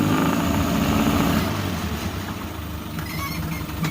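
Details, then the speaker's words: Outboard, cold and not yet warm: even, regular idle with no knocking, much quieter than the 1983 Evinrude. Normal idle; the engine is not heating up. "Donc, beaucoup plus silencieux que la Evinrude. On parle d'une génération après, là."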